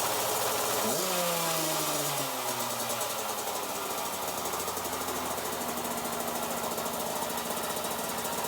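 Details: Kawasaki KX65 two-stroke dirt bike, first start after two weeks of repairs (muffler packing replaced, exhaust cleaned, air filter oiled, oil changed): sharp rev that drops away, then a steady buzzing run with no misfires; runs normally.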